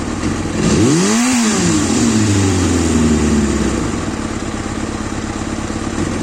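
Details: Kawasaki ZXR400 L9: quick throttle blip with revs sagging back slowly and hanging around 2,000 rpm, delayed response, then an uneven, lumpy rough idle.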